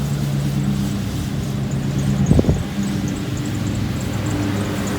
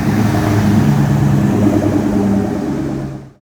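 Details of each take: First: 1967 Ford F100 with 4.6 DOHC V8 from a Lincoln Mark 8, first ride: engine running with thin high squeal coming and going over exhaust; squeaky serpentine belt, fixed by replacing belt and tensioner and idler pulley bearings. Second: 1967 Ford F100 with 4.6 DOHC V8 from a Lincoln Mark 8, after installing new serpentine belt: steady even rumble, no chirp or squeal; belt squeal fixed, old bearings weren't the cause.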